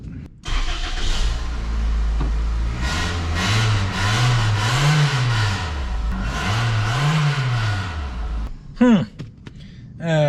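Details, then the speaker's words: Vehicle first start after maintenance, about 2 quarts of fluid added: engine cranks and catches, then a steady, moderately loud idle with a gentle low rumble and a couple of blips; quieter than expected, healthy. "Not as loud as I thought it was gonna be, which is good. I mean, I didn't want it sounding like a bumblebee."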